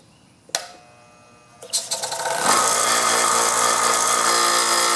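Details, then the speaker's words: DeWalt 6-gallon 135 PSI 3.8 CFM hot-dog compressor, found in a dumpster, first run after freeing seized piston: click, stumbling attempts, then steady rapid chug; slightly hard start blamed on long extension cord, then runs normally. "Had a little bit of a hard time starting cuz I had such a long extension cord."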